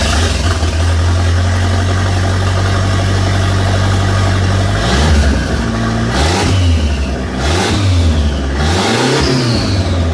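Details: 1989 Dodge Daytona 2.2 turbo conversion after fixing a missing plug: clean startup, smooth steady idle, several throttle blips with rising and falling pitch and light turbo spool whoosh; normal idle and revving.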